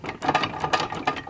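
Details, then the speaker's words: Transmission jack used on a dump truck clutch job: quick irregular rattling clunks and metallic clicks as the head is rocked; undersized pins and loose side-to-side adjustment cause pin-play clunk. "I think especially these pins and then this side to side adjustment is loose right there you can see that's letting it move I mean look how loose all this stuff is the pens are all too small"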